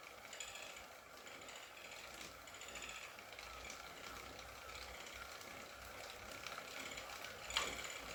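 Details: Wahoo KICKR CORE trainer with Zwift Ride on a rocker plate, slow pedaling: quiet hum with faint, irregular light clicks and one sharp tick. Intermittent clicking, reportedly a known trainer fault, and the unit was replaced.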